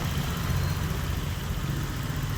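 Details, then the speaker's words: Honda Vario 125 scooter that would not start, showing blink code 12 and no fuel-pump hum at key-on; the cause was the 12 V wire to the FI system touching ground. After the fix it starts and idles with an even, steady single-cylinder hum, running normally. "Nah, tuh. Udah nyala motornya. Ini switch yang kanan nggak jadi tadi sama switch kiri."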